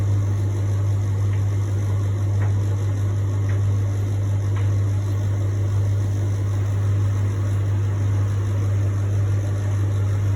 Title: Beko making strange noise